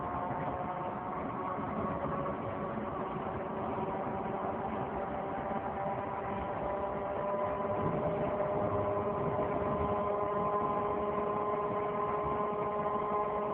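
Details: 2003 Saturn Vue 4-cylinder AWD, with the check engine and coolant lights on: a steady droning hum from the front driver wheel area that rises with speed. A hub replacement did not fix it, and the cause is unknown.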